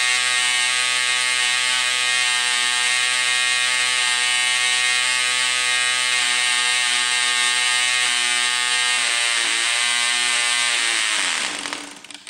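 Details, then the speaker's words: Vintage Cox .020 glow engine: high, steady buzz wavers near the end, then dies as fuel runs out, much fuel having been wasted during starting; running normally until empty. "so gasoline just ran out. So it ran out because before, when I was trying to turn it on, I wasted too much gasoline spinning and spinning and spinning."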